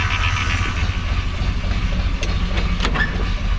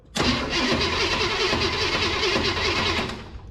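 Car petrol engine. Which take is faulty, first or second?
second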